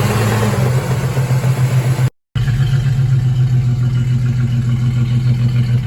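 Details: 2004 single-cab truck V6, oil badly overfilled, steady low idle with loose uneven knocking; owner wonders rod knock or torque converter bolts, cause unconfirmed, before planned V8 swap.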